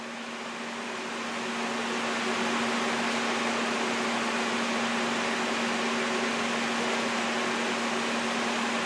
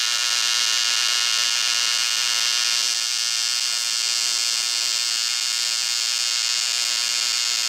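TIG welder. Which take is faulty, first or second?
first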